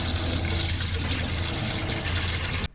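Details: Skoolie school-bus conversion plumbing with newly installed shower, leak test: steady rushing water over a low pump hum, even and uninterrupted until shut off; shower and pump running normally.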